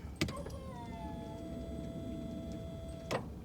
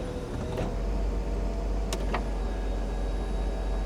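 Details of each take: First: 1995 Mercedes E320 Cabriolet (W124) convertible top hydraulic pump: steady electric motor whine at one pitch after a brief falling start, top won't go up after fluid top-up; owner suspects air in the long-unused system, later a hydraulic fluid leak appears. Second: 1995 Mercedes E320 Cabriolet (W124), convertible top closed for 18 years: constant low hydraulic pump drone with clicks and clunks as top moves; pump running smoothly, top working normally.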